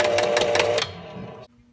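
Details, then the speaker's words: Williams Hotline pinball machine disk switch after cleaning and adjustment: quick run of even clicks and whirring under a second, now completing full 180-degree rotation and stopping cleanly. "but I got this switch cleaned and adjusted so now it goes 180 degrees"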